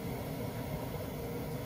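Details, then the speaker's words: Glowworm Ultimate 40FF standard-efficiency boiler after fan replacement: quiet, even low fan rumble with the burner lit, no rattles or surging; fan replaced and combustion running normally. "so that's it the fans replaced did you see and we've now got combustion"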